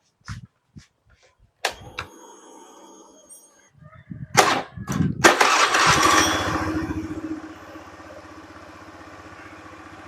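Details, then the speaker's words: Honda Beat (carb or FI) after recentering a badly bent crankshaft that caused rough, weak starting: a few light clicks, then a brisk, strong crank that catches and settles into a steady even idle despite a weak starter motor. "starter kuat ini pak padahal dinamo lemah ya teman-teman tapi masih bisa muutar"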